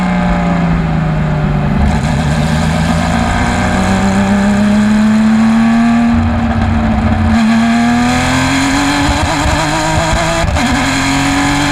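Engine note climbs through the gear under hard load but stutters and breaks up irregularly instead of pulling clean: a misfire.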